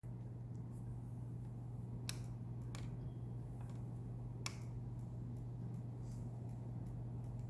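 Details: Bricked Nintendo Wii with blue light that won't start: low steady hum with a few sharp irregular ticks; intermittent ticking, cause suspected, not confirmed.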